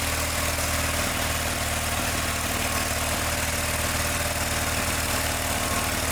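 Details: John Deere 318 runs at steady low speed with a dull, uneven throb, no crispness or power, and gets very hot fast; ignition points barely opening, gap too small, giving weak spark and poor running.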